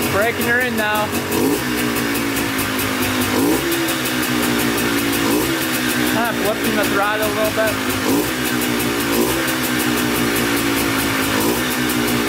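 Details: Polaris Trailblazer 250 two-stroke quad, first start on choke after cheap eBay piston/cylinder top-end kit, new oiled air filter and carb rebuild, during break-in: crisp buzz revving and dropping cleanly on throttle blips; starts right up, stays running.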